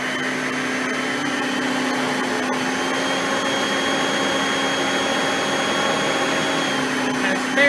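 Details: Oreck XL Platinum lightweight bagged upright on high speed, picking up crushed stale chips: smooth, constant high-pitched motor whine with no surging or rattle. Normal high-speed running, quiet vacuum.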